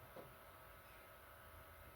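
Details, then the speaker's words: PS5 disc drive reassembled after it stopped accepting discs and had something loose inside; single beep, then soft steady whir as disc is drawn in and spun up, quiet and even; drive working again. "as I'm putting in the Des we'll turn it on yeah hear the beep I'm just taking the Des in and I hear it spinning"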